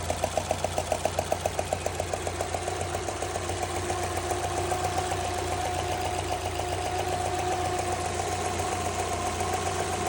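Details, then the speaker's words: Subaru 2.0 petrol: sharp regular knock about 220 per minute over steady idle from cylinder 4, starter side, only when hot; persists after new timing belt kit and tensioner roller, cause unknown. Engine knock. "Значит, стучит мотор четвёртый цилиндр. Так, стучит немножко."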